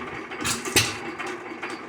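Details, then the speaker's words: Lauson 2hp hit-or-miss engine, first run after cam gear replacement (old cam bent and wobbling): sparse uneven puffs with light valve and gear clatter between firings, running healthy; normal running. "sounds good runs good I'd leave her be"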